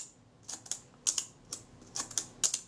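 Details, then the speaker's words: Kodak Retina leaf shutter after main drive cam adjustment, set to 1/8 second: paired open-close clicks only a fraction apart, too short; shutter running fast, later measured about a full stop fast. "sounds credible it might be a bit quick what's it like on the 15th all right i'll check those i think that's slightly fast"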